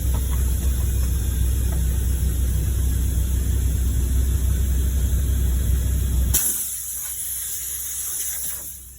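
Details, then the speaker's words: Completely flat tyre before a plug repair: a low rumble drops away, leaving a steady airy hiss of air escaping from the puncture. "Oh, we can hear it hissing, that's for sure."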